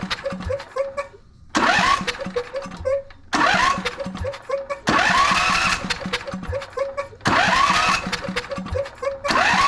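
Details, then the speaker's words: Husqvarna YTH22V46 riding mower twin, starter hangs up; with the other cylinder's spark plug removed it cranks freely in quick even bursts, pointing to that cylinder; valve cover to be opened, cause not yet confirmed. "so now as I hit this unit every time I bump that key that engine turns over perfectly fine so we know that something on this side of the unit is causing the motor to kind of seize up and not get do exactly what it's supposed to do"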